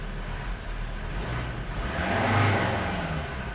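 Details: 2018 Ford Ranger Wildtrak 3.2 diesel after its no-start problem was solved. It clatters at idle, rises smoothly through a quick rev and settles back, pulling cleanly with no misfire or hesitation.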